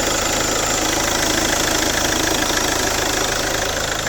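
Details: 2010 Chevrolet Captiva diesel after full turbo intake and fuel system cleaning of heavy carbon sludge, just restarted: even, loud diesel clatter at a steady rate, no misses or surges; healthy idle.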